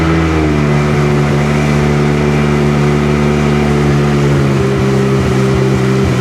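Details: Sea-Doo GTX DI 951 two-stroke lake test after new solenoid and hard line installed, idling around 1450 rpm: strong steady drone, even pitch, no skipping or stumbles under load; running way better.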